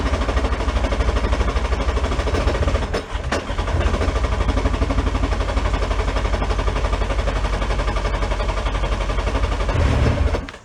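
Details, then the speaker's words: 1999 Sea-Doo jet ski two-stroke, yard-sale non-runner, run on a stand after sitting with water in the cylinders: loud, lumpy, uneven pulsing about four beats a second; owner suspects water in the manifold caused the sound, cause unconfirmed. "I think the sound difference was it probably had water in the manifold and we just pushed that that water out of manifold"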